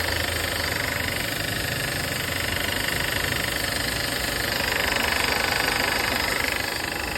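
Fast, even metallic clatter, a few beats per second, rides over the idle and holds steady without easing; engine rattle, source unconfirmed.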